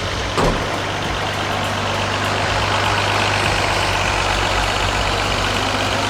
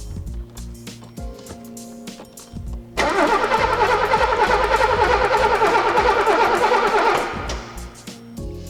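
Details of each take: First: 1983 Mercedes-Benz W126 280SE inline six, 10 years in a barn, first run: brief clatter, then a smooth even idle with a steady low drone. RPM dipped at first, now smooth. Normal idle. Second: 1983 Mercedes-Benz W126 280SE after 10 years in a barn cranks evenly for about four seconds without firing; the lead from the distributor is broken, so no spark reaches the plugs.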